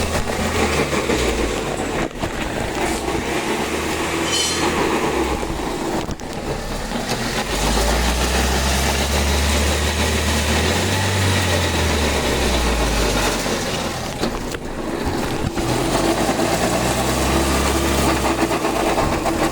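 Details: Toyota RAV4 transmission noise while running: low droning hum from the gearbox that swells and fades with speed, from bearing failure along with a burnt clutch.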